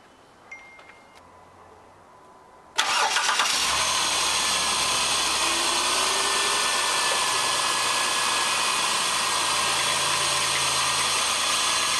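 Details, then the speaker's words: 2006 Dodge Caravan after replacing idler pulley and belt: cranks, catches quickly, settles into smooth even idle with no squeal, chirp or rattle; belt running true, normal idle. "i'll go fire it up and make sure that the belt's running true and nothing gets hung up or spins off"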